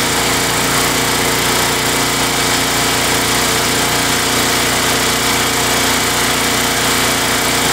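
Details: Craftsman Eager 1 mower, Tecumseh 92 cc engine, after surging repair using Mechanic in a Bottle fuel additive: steady high buzz, no rise and fall in speed; runs evenly without surging, repair judged successful.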